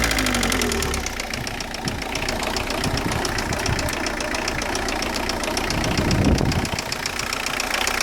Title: Bruit moteur (claquement) Saxo année 2003